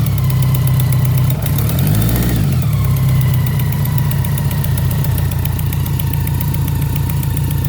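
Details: BMW K100RT steady four-cylinder idle with a quick ticking puff about three to four times a second; owner suspects an exhaust leak.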